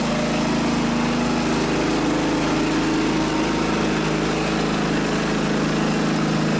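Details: Riding mower single-cylinder engine after carburetor cleaning, which had caused stuttering and sputtering: even, steady drone with no stumbling or surging, running smoothly and holding speed.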